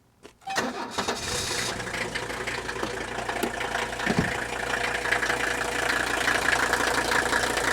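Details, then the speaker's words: 1983 Mercedes 300D sedan diesel, just started: rattling idle with injector clatter and a faint high chirp creeping in; squeak from V-belts that need replacing. "you're probably picking up a little bit of squeaking noise that's going to be the v-belts which need replacing"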